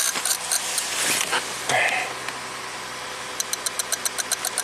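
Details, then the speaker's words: 2004 Toyota Avalon with a flashing check engine light, glitching dash and display, a wonky temp gauge and cold-start stalling; engine surges. Sharp, regular clicks about four per second over an unsteady engine come from an unidentified relay; cause suspected, not confirmed. "this relay right here is clicking along with all the glitches so I'm going to turn the key on and pull this relay out I don't know what it does we'll look at that later so this is the clicky relay"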